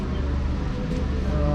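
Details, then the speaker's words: 2012 Chrysler 300 after a crank-no-start repair, the fuel pump having been improperly connected from the warehouse: even low drone of steady loudness with no ticking or stumbling; the engine runs cleanly. "On top of that, I mean, as you can see, the vehicle's running."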